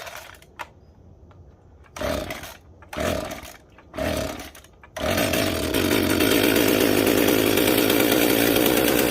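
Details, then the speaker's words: Jonsered 2055 chainsaw with mud dauber nests inside: repeated pull-start bursts with only a faint whir and no compression puffs or firing; exhaust or intake is badly clogged and it won't start. "yeah it's crazy clogged up somehow I gotta figure that out because it's like it is not getting either the intake is completely clogged up uh because there's just not even any noise coming from it you can't hear it doing anything so that's weird"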